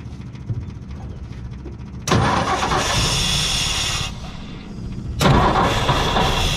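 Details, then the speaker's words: 1958 Ford F100 panel truck, plugs cleaned, carburetor cleaned, carb cleaner used to start, fresh fuel from new tank: cranks, catches, then runs rough and uneven, not firing every cylinder; traced to ignition points, later replaced. "it starts it wants to run but it's not firing every cylinder it's got some some issues"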